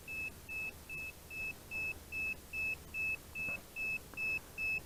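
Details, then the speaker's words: DJI Phantom 4 Advanced remote controller (GL300C) with a sticking left stick that does not zero: a steady high beep repeating about 2.5 times a second for a stick calibration error; continuous warning beeping. "never know when the remotes gonna be beeping giving you that error basically it's calibration error that constant loud beeping again you could still operate the drone typically"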